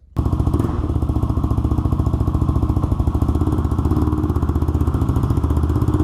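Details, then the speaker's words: Honda 400EX single-cylinder ATV after crankshaft replacement for a locked-up engine, on a test ride; sharp, chattering bark with a crisp puff each firing from a broken exhaust header leaking pretty badly, audible while riding; new header needed. "but like I said we do have to address this header issue at some point cuz it is leaking pretty bad you can hear it when you're driving it pretty bad so we will have to get that replaced at some point"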